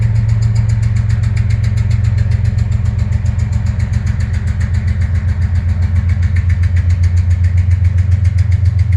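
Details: CSX diesel locomotive passing Princeton, Indiana, labouring under load, rolling black smoke and then stalling with no traction; a hard, even deep thump about 220 a minute, a suspected rod knock inside the engine.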